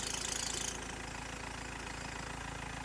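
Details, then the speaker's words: BMW 320d E90 with 2.0 M47 diesel at idle. A high belt squeal stops abruptly once WD40 is sprayed on the auxiliary drive belt, leaving a plain knocking idle; spraying the power steering belt made no difference. Auxiliary belt slip confirmed; cause of slip still unknown. "wow. that has quietened things down quite quickly so belt slip is causing the annoying sound but what is causing the belt to slip?"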